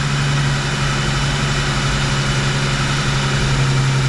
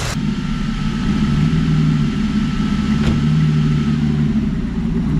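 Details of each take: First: Freshly rebuilt Rochester 2G carburetor at warm idle: turning the idle mixture screws in leans it, so the steady drone's pitch drops, then each is backed out half a turn. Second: V8 hot rod after a Rochester 2G carburetor rebuild and lowered idle, test drive under load: steady even rumble pulling through the gears with no stumble or hesitation between shifts; running well.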